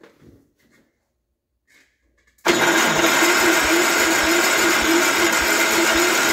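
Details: Gravely 814 tractor that sat outside for years, restarted just after an oil change: catches and settles into a steady, even putter of about four beats a second. Running normally; owner thinks the smoke is spilled lubricant on the exhaust.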